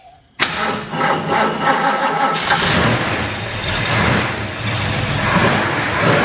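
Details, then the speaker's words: Restored 1965 Ford Mustang coupe V8 with aluminum heads and long-tube headers: a quick crank catches instantly into a loud, lumpy but even idle with no knocks or misses; a healthy start. "We're going to drive it here in just a little bit. I'm going to start it up for you right now. Listen to it run."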